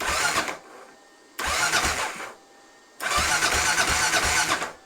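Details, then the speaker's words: 1993 Kawasaki KLR650 being cranked in neutral for the first time after a head gasket, timing chain and bottom-end rebuild, with the fuel off. Three short bursts of steady starter whir, gently priming oil with no firing; normal cranking. "It turns over. Let's go. Easy. Sounds good."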